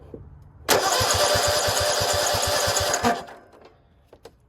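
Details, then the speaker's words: Cub Cadet RZT50 zero-turn mower engine cranking steadily about two seconds with even regular compression pulses; some compression confirmed, new carburetor ordered. "I just ordered a carb now that we know we have somewhat compression I'm really praying this thing drives"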